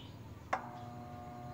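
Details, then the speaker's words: Fairly new electric fan, switched on: click, then steady electrical hum but the blades won't spin; capacitor tests very low; fan motor stalled. "Ayan Ugong na lang siya kung pakikinggan niyo ayaw na siyang umiikot"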